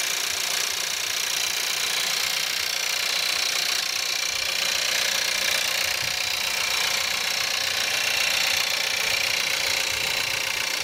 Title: Cold start at -5, Skoda Octavia 1.4 TSI, 150bhp - rattle, noise, sound like diesel